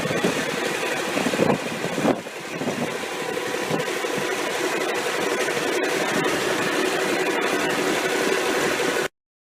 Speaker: This is the first test run after a rebuild of a 600 horsepower Cummins KTA19 diesel engine.